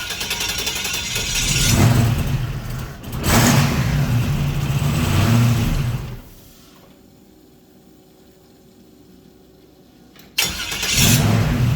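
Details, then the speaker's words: 1940 Ford pickup with 4L60E transmission, after swapping the aftermarket SFI flex plate for a factory one with much more clearance: fires with an even low rumble, shuts off, restarts cleanly; the starter no longer contacts. "It hasn't contacted once yet. No."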